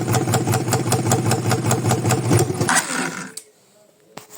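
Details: 200cc single-cylinder engine after valve work, where the piston hitting the cylinder head had been suspected: even idle at about two and a half beats per second with no knock or clatter, then shutoff; problem solved.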